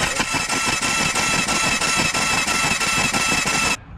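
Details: Honda Rubicon ATV stalled in water and sucked water down the exhaust into the cylinder (hydrolock); with the cracked spark plug pulled, the engine cranks fast and evenly at about three beats a second with no compression strokes to blow the water out.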